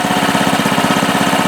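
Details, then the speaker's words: Baja Doodle Bug mini bike, 2.8 hp single-cylinder, idling; quick, even putter with a steady beat and no misses or stumbles: normal idle. "runs good yeah when i'm off of it lifting the rear tire thing screams"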